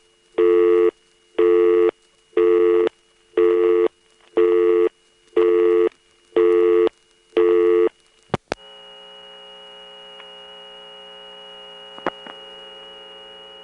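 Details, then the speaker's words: Lockout relay on a GTE-owned NX2 crossbar exchange, Hahira GA, March 1978, using unbalanced power: eight even one-second tone bursts, then steady low mains hum with a thin high squeal, typical unbalanced-supply sound. "We're on the lockout relay, of course, and this being GTE, I was wondering whether they were actually going to be using unbalanced power in certain places. Well, it seems in this NX2 they are."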